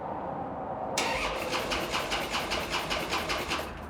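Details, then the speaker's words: 2012 Harley-Davidson Dyna Street Bob after months sitting apart, freshly painted tank empty: starter churns at an even beat, about two and a half pulses a second, and the engine never catches; cranking with no fuel. "well I forgot that there's no gas in that freshly painted tank and we don't have any gas here"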